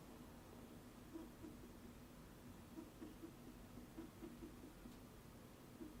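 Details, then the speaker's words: Fujifilm 15-45mm lens filming a vlog in a very quiet room: faint, soft whirring chirps in short uneven bursts as the lens hunts, a constant autofocus motor noise. "I don't want you guys to hear this constant focusing noise."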